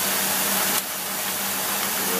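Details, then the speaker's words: Engine with rebuilt Carter two-barrel carburetor, idling around 500 rpm: low, slow, even idle with soft airy intake hiss, no misses or stumbles; normal idle. "this thing's island about uh like 500 or something it's just absolutely perfect"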